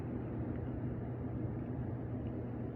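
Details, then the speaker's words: Hot tub jet pump after replacing a bad capacitor that left the motor humming without running: smooth, even low motor hum, steady pitch, no rattles or straining; pump running normally. "Let's try jets 2. Oh, here they go. And they're working now too. So everything appears to be working as normal."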